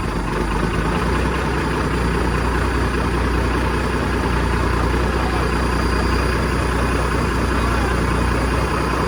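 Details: 1987 Ford LN9000 house-moving/wrecker truck, diesel, just revived after sitting in a field about 20 years: steady, even idle with a deep low rumble and no knocks or misses; healthy idle.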